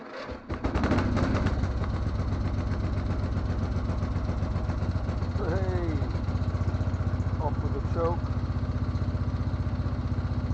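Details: 40-year-old Lawn Flite MTD ride-on mower that only clicked at the key (solenoid problem), started after the repair with a little throttle and choke. Small single-cylinder engine at a steady, even beat of about four firings a second with no misses; normal idle.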